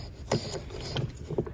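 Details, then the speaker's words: Land Rover Discovery II old belt tensioner pulley, removed and hand-spun: gritty, uneven rumble with irregular clicks and some play in the pulley, from bad bearings; the new aluminum replacement spins silently. "I'll grab the new water pump for comparison it doesn't make any noise when I spin it and the same thing with the old belt tensioner you can really hear that bearing"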